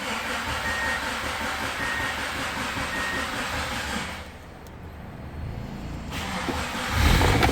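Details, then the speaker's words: Subaru after fuel pump replacement: engine catches and settles into an even run, dips and picks up again with no knocks or misses; healthy start. "Ah. All right. Turn her off. She runs. Cool. Good deal."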